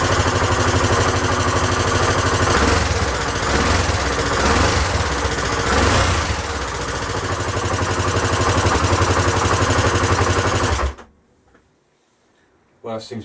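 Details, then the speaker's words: Honda XL1000 Varadero V-twin after rebuild, idle speed raised because it ran low and kept cutting out: even, steady idle with a regular low thump about four times a second, no misses or stumbles; running smoothly. "i've also had a play with the idling speed as well because it was running kind of low kept cutting out so let's give it one more go"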